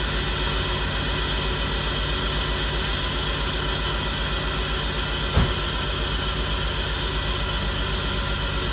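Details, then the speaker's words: 2003 BMW 325xi (E46), first start after replacing a fuel injector; engine runs with a steady low throb under a loud hiss but doesn't sound right; owner suspects the airflow sensor, no leaks seen; rough running. "So it is running. It doesn't sound like it's running. Okay, that's the airflow sensor going crazy."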